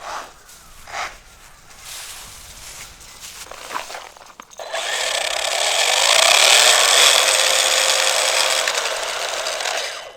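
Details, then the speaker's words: Traxxas Slash 4x4 with Redcat Kaiju 150A 6S brushless system and aluminum motor mount with a freshly fitted bearing, driving: high, gritty, crunchy whirr; drivetrain grinding, owner suspects the new motor-mount bearing fell apart. "something didn't sound good there thought maybe we stripped something ooh something sounds crunchy guys you guys hear that"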